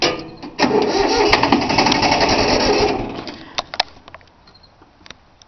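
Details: 3-cylinder Yanmar diesel cold start after repeated glow plug heating: about three seconds of rhythmic cranking, no firing or catch, then stops; owner suspected a worn starter, but unbled fuel lines left air in them; usually starts right up.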